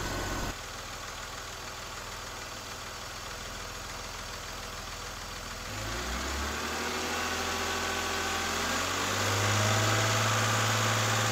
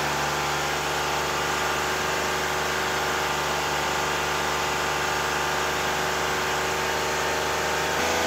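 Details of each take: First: 2001 BMW E46 330i automatic cold start after oil filter housing gasket, VANOS oil line and oil filter work; catches and settles into a smooth even idle, then rises slightly to a steady fast idle without knocks or stumbles; normal cold start idle. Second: BMW E46 330i at a steady idle: a light, fast rattle from the intake side over the engine hum. The DISA valve was checked with a stethoscope and identified as the source.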